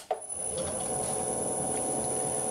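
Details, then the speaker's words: Motor on a hundred-year-old bench lathe driven by a VFD at 20 Hz with torque compensation setting changed to stop error 6 cutouts: soft start then steady hum with thin drive whine, much less rumbling. Normal motor run. "lot less rumbling and it will keep running probably forever"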